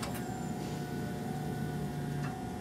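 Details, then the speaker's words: 1999 Subaru Impreza no-start, injectors spraying and coils firing with key on, after a replacement computer was installed: key on, engine off, a steady electric hum for a few seconds, a normal fuel pump prime; no cooling fan, no spark. "So I heard the fuel pump run. I don't hear the cooling fan running."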